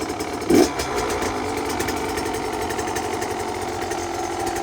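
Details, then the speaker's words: Brand-new 2025 GasGas MC85 converted to 105cc with the factory big-bore kit, first start after install, on stock 105 jetting set for local elevation and temperature, not yet revved high: steady, even two-stroke burble at a settled idle with no misses or surging. Normal idle. "So, all the jetting for our elevation, this temperature, this is what we got it set as idling. Perfect. Um, not a lot of extra snow here. Sounds good. Yeah, it does."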